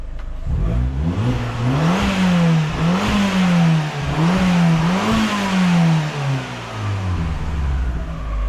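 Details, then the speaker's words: 2009 Fiat Panda 100HP fitted with an Abarth turbo engine, after a track day and repairs including an oil change (oil taken closer to 3 litres): engine blipped repeatedly, rising and falling evenly with a clean pull, smooth and healthy, building temperature nicely; normal revving. "That's sounding nice, I gotta be honest with you. I'm happy with that."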